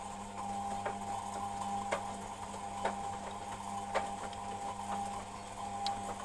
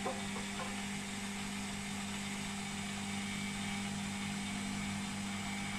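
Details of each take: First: Beko WMP 601 W 6kg 1000 rpm A+ washing machine: a bit of a grinding noise, a dry scraping tick about once a second over a steady motor hum, while the drum turns; it doesn't seem to do it when spinning. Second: Beko WMP 601 W 6kg 1000 rpm A+ washing machine on spin: smooth steady hum and even whirr with faint hiss, no grinding; the grinding heard during wash tumbling is absent when it spins.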